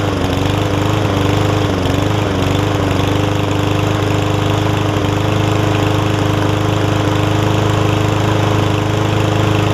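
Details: Yard Man front-wheel-drive self-propelled push mower with Powermore engine, long-sat, carb cleaned except the top jet, fresh gas, oil full but dark: runs steady at fairly even speed with slight early waver, no knocks or stumbling; running fine.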